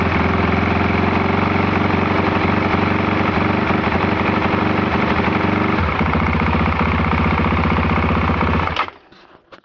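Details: Can-Am DS 450 single-cylinder idle with a quick, regular rattling thud about four times a second before it dies; abnormal engine noise, cause unclear.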